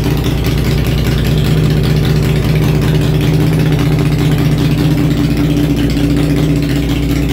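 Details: Honda Shadow V-twin after a homemade single-carburetor intake manifold conversion, started on choke: a loud, steady rumble holding an even idle with a slight lilt, no knocking or missing. Normal idle.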